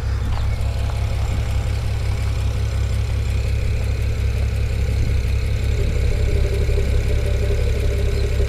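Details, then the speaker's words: BMW E92 335i N54 with 17T hybrid turbos, no fault codes or dash warnings: low, lumpy rough idle; revs smoothly and drives fine above about 1,000 rpm; owner suspects one cylinder is down on compression. "hopefully you can hear that rear that rear sounds not normal now i'll bring it up off of idle like it revs pretty smooth"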